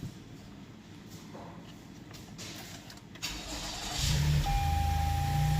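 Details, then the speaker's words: 2018 Toyota Highlander after fuel pump replacement (had stalling, rough idle, no rev, codes P107A2A, P1603, P1640, P0300): engine catches promptly and settles into a steady, even idle; normal start, check engine light still on until codes cleared. "as you can see the vehicle started right up we still have check engine light because we have to clear the codes"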